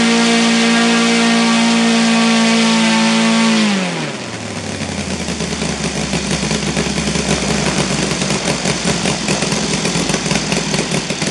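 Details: Saito FG 60R3 radial engine on a bench stand after fitting a new magnet flange, which did not help: a high steady drone that drops to a lumpy, uneven idle with strong vibration from idle to mid rpm, blamed on uneven fuel distribution between cylinders.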